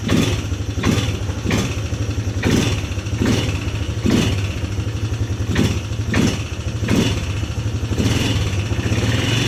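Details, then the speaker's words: 2010 Polaris Sportsman 300 ATV, said to need full maintenance: a steady low idle thump with repeated quick throttle blips that rev cleanly and drop back without knocks or misses; runs healthy. "but just so you guys can see how well this thing runs start it up for you guys"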